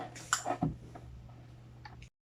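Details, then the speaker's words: Refrigerator compressor replugged immediately after unplugging during a PTC relay demo; strained hum of stalled compressor at very high current cuts out abruptly as the overload protector trips and heats up after the failed start. "So yan, hindi po umandar yung ating compressor at nag-trip na po yung ating overload protector. So, bakit nga ba hindi siya nag-start? At sobrang taas ng amperahe."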